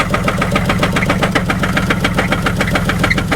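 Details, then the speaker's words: 2004 Buick Park Avenue Ultra supercharged at idle with a misfire and a sharp, fairly even knock about three or four times a second, suspected from the bottom end. The oil light came on shortly after. "sounds like it's coming from the bottom in well let's at least drive it around the parking lot real quick and get an idea"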